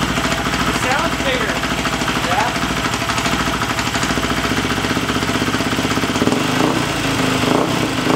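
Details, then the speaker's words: Husqvarna FE350 converted to FE 366 dirt bike, first start after complete rebuild, spark plug wire reseated and idle raised slightly: steady, even single-cylinder idle with no misses or knocks, running cleanly. "so we don't want to get poison here, but yeah, she runs and that's the most important. Everything is fine."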